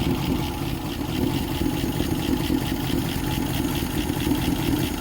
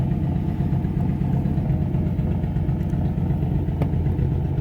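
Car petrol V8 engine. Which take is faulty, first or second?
second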